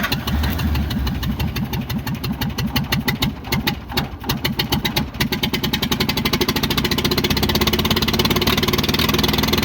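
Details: International Harvester McCormick 64 pull-type antique combine, engine started after storage with clean carburetor and working needle and seat: catches on cranking, settles to steady even idle with oil pressure, sounds healthy; normal idle.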